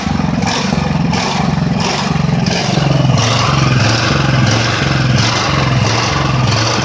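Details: Ridgid generator, Honda GX390, after repairs, running several minutes: loud engine swelling and sagging about every half second. Owner suspects a misassembled choke-lever plate and a part that has come unscrewed. Engine hunting, cause unconfirmed.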